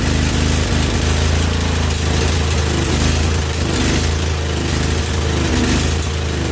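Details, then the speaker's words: Husqvarna YTH2148 lawn tractor, Briggs & Stratton Vanguard V-twin, free neighbor gift, after carburetor work; lumpy, stumbling, surging idle running on and off one cylinder, one side's exhaust pipe cool; misfire on one cylinder. "she's not happy she's kind of on and off one cylinder and carburetor huh that's kind of weird"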